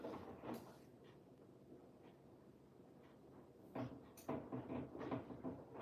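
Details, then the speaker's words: Washing machine on a Cottons 60 cycle: quiet wash tumble with uneven hollow wooden knocks about every half second, from the machine bumping the adjacent cabinet; the machine needs moving slightly. "Apologies if you can hear that knocking. It is not the machine. It's the cabinet next to the machine needs to I do need to adjust it slightly."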